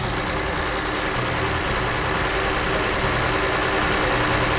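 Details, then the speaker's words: Engine with mechanical (solid) lifters at steady idle, even light tapping about three or four per second over the exhaust; normal solid-lifter valve clatter, could be quieted by readjusting the rockers. "anical mixers and lockers we can make it a lot quieter all that to do is remove the valve cover and readjust all the lockers"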